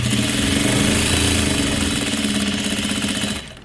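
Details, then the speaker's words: Juki DDL-8700 industrial sewing machine during setup while loosening the thread tension: quick, even needle clatter at about four stitches a second, steady until it stops; smooth, healthy normal running. "just love that sound okay again it's not looking too bad it looks very nice"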